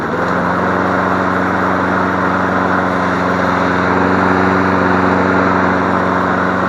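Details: Free 21-inch MTD Select Series self-propelled mower after fixing the sheared flywheel key that made the pull cord snap back: steady, even single-cylinder buzz at constant speed with no misses or knocks, running healthy.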